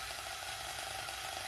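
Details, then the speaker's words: Proxxon rotary tool found in trash, running after cable replacement and before bearing change: a small motor spinning fast with a harsh gritty rattle over its hiss; worn motor bearings. "And I don't know if you can hear it, but the bearings are definitely toast."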